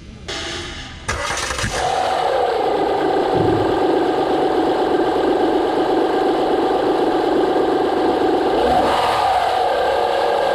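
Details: 2009 Honda Pilot 3.5 L V6 after replacing the failed hydraulic timing belt tensioner: cranks briefly, catches, settles into a smooth, even idle with no rattle, chatter or ticking.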